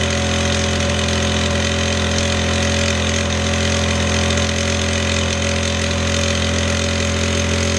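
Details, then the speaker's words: Scrapped single-cylinder lawnmower engine, restored, with the throttle lever clamped open at a constant speed: even, steady buzz with no surging or missing; normal steady running. "Right, so I've got a working lawnmower engine, which is quite a surprise because someone had chucked it out for scrap, but it works."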